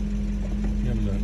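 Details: BMW 840 with 56,000 miles, a former non-runner, on its first start after the ECUs were fitted and the immobilizer coded: a steady low note climbing slightly, firing smooth and even with no knocks or misses; it runs cleanly.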